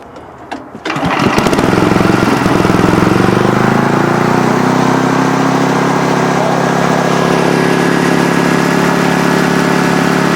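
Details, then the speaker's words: Old Sears generator, engine now running after repair but generator reportedly gives no output: pull start, engine catches and runs steady and even; engine sounds fine, missing power lies elsewhere, cause not yet found. "the guy said the generator wasn't working so now that we got the engine running we're going to take it inside and see if we can see anything if anything is obviously wrong with it"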